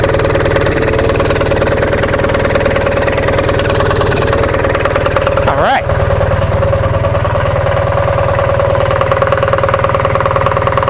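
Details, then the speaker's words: Onan MDJE diesel generator after a warm-day start on a charged battery: steady even chug with clean mid-pitch drone, no knocks or misses; not yet at rated speed; running fine. "Button away there. Doesn't sound too bad at all, does it?"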